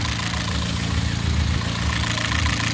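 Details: Rebuilt Astra VXR just after first fire-up: steady, even low idle with a smooth rumble and no knocks or misses. A tiny drip is suspected from the baffle sump needing gasket sealant. Normal idle.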